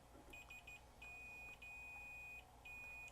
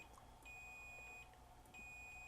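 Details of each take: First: 1999 Toshiba MV13J3 13-inch TV/VCR combo with no power, switch tested with a continuity meter: high beep cutting in and out in uneven bursts, reading jumping around; dirty, intermittent switch contact, to be cleaned with DeoxIT D5. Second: 1999 Toshiba MV13J3 TV/VCR with no power: multimeter continuity test across a switch. A clean high beep drops out and returns crisply with each press, so the switch contacts are good, though they might benefit from contact cleaner.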